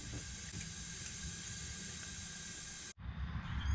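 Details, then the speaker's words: LS-swapped Chevrolet C10, cylinder leak-down test: steady airy hiss with a high whistle as air escapes; cracked head or head gasket suspected, head to be pulled. "what I found here is when you turn this into there and hear it whistling so at this point the next step is to pull the cylinder head off and see if there's a crack if it's a head gasket or what"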